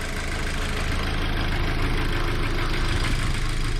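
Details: VW Golf GTI Edition 30 at idle: smooth, steady hum with an even beat and no tapping or stumbles, the engine sounding normal at rest.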